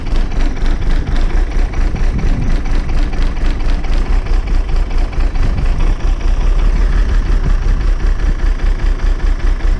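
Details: Bus diesel, started a week after a fuel pipe was moved, checking for an easy start. Low, steady chug of about two beats a second, settling to an even tickover.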